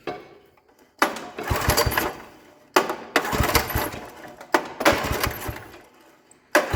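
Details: 1960s Toro Professional 70 reel mower, points cleaned, spark present, ether in the carb: four pull-cord bursts, each a brief rough rasp dying away without catching; cranks but will not start.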